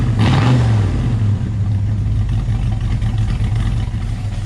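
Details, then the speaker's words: Ford XW GT Falcon with 351 Windsor V8 and Holley carb, after adjusting the accelerator linkage so the throttle butterflies open fully (previously only partly open, felt flat): deep V8 rumble rising and falling cleanly, no stumble or pop; normal revving. "i feel responds much better so much so much less let's have a listen down here just because"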